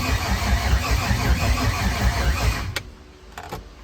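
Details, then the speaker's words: C5 Corvette drift build on a new battery cranks evenly, about two and a half turns a second, for two seconds, never catches; crank no start, owners suspect no fuel (low fuel warning), missing ground straps later found. "I don't know what's wrong with it. It ain't got no gas in it. Maybe."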